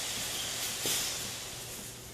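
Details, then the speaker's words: Hunter 6-inch Pro Spray pop-up spray body in a 100 PSI water surge test (two runs of 10 cycles): sharp high screeching hiss as pressurised water rushes through the body, then fades; body survives all 20 cycles with no failure, normal surge. "Here's the 6-in Pro Spray going through the test. Wow, you can hear the screeching water as it's pushed through the body so"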